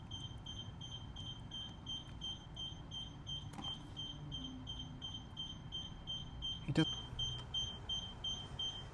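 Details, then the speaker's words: Infinity Shield multi-beam garage door sensor during installation, fault beeping after the receiver wire broke while hand-stripping: repeating high, thin beep a few times a second over quiet background; expected to stop once fixed, and beeping can be disabled. "You can hear the beeping, that'll stop in a minute. The beeping is also optional, so I'll show you how to disable that."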